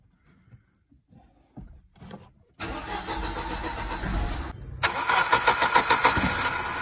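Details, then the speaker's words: 1987 Mercedes-Benz W201 190E, KE-Jetronic, non-catalyst, running a bit rich with a slight miss and shaking at idle: short crank, then an uneven, pulsing idle that surges and dips; spark plug gap later set to 1.9 mm. "the car was running a bit rich and what's important the car was shaking on idle"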